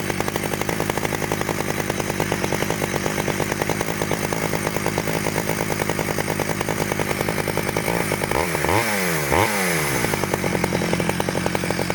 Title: 009L 1991 stihl startup after rebuild